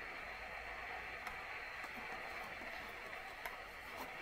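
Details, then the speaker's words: Bush AU31D early-1960s valve record player amplifier: steady even hiss with faint hum that doesn't change as treble and other tone controls are turned; controls seem ineffective; owner attributes it to age; cause not confirmed. "if you listen to the the noise the hissing doesn't change but there's no surprise really given its age"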